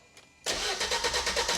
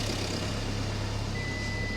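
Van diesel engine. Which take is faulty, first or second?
first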